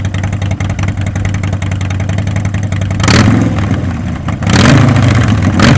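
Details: 2014-up Harley-Davidson Sportster after Stage 1 kit install and Power Vision tune: lumpy V-twin idle at about four beats a second, then crisp throttle blips climbing and dropping cleanly; normal healthy engine.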